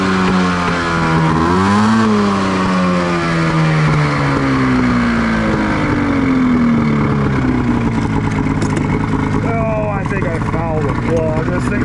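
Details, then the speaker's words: 1989 Honda Pilot with a swapped Ski-Doo 670 snowmobile engine, running with paddles in sand after it was loading up: revs swell and sag with an uneven, stumbling beat, as if running on one cylinder; suspected fouled spark plug. "definitely feels like it's only running on one cylinder. It's fogg or something."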